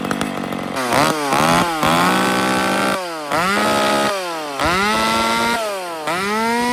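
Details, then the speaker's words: Engine blipped repeatedly to full throttle gives a piercing scream that keeps winding higher, revving too high after the high-speed jet was set richer (fatter); cause not pinned down, suspected high-jet setting. "Did you hear how that thing screamed just there? Yeah. I actually made it fatter than when it was."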